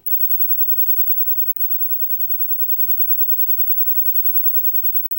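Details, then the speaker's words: Sony PVM 1953MD CRT monitor showing a white screen: faint steady very high-pitched flyback whine, louder on white, quieter off it. "I've got this white screen pulled up and I hope you can notice on the microphone catching the high-pitched frequency noise now this is intensified on this white screen"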